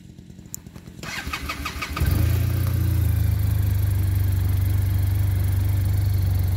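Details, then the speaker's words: Arctic Cat Norseman sled after foam was fitted. It cranks a few times, catches, and idles evenly. The normal engine shake remains, but the rattle is gone. "a little bit still vibrating but it's not rattling I knew we'd never be able to stop that vibration"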